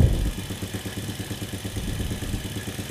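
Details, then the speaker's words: Honda Supra motorcycle fouling plugs black with black smoke, cheap replacement carburetor, air screw opened 2–3 turns: uneven stuttering low idle that hunts, won't rise cleanly or rev up; still sounds rich, carburetor needle set too high. "suaranya masih kayak suara mesin keborosan ya, deret kayak gitu, belum teriak ya."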